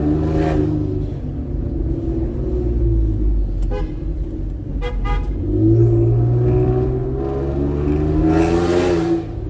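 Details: Ford Explorer turbo, warmed up, after refitting popped-off wastegate actuator rod (earlier boost-leak symptoms, limited to 50% throttle); loud exhaust drone swells and eases through pulls with no stumble; boost holding under load.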